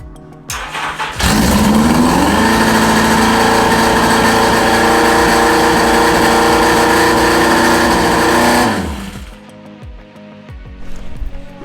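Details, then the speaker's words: Yamaha XJ650 first start after carbs taken off: holds a loud, fast, busy idle that never settles, running far too high; still needs adjusting and dialing in, likely carb synchronisation. "We've still got a long way to go in order to get it running right, and as you can hear, it's super loud and super revvy."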